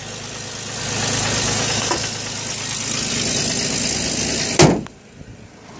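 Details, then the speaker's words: Chevy Equinox with about 144,615 miles after overheating repairs (new radiator, coolant, water pump, exhaust studs): steady, even idle with no misses, knocks or hunting; a single unrelated clunk near the end; runs healthy. "let me go ahead and start it up for you here runs like brand new"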